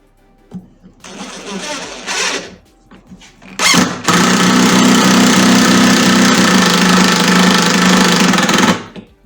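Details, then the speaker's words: Impact driver driving a screw into a wooden swing support through a pilot guide: a brief motor whir, then loud steady rapid hammering for about five seconds as the screw resists and binds. "Si ahí ya se escucha el golpeteo porque le cuesta meter el tornillo. Imagínense que lo hagamos sin la guía."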